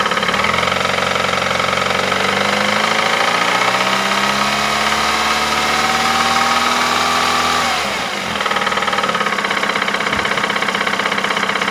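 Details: 2008 Ford Mondeo Mk4 2.3 L engine, 203,000 km: quick metallic tapping about three per second that speeds up as revs rise, then settles back; unexplained internal engine knock, cause unknown.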